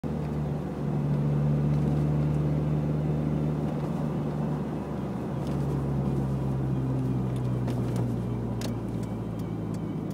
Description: I'm trying to see if anyone out there knows anything about this whining noise coming from the passenger side of my car.